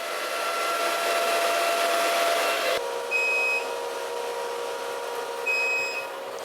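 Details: Antminer unplugged while still hot, about 36 °C, with no power draw: fan roar drops suddenly, then two high half-second beeps with a blinking red light, the disconnected-hashboard alarm.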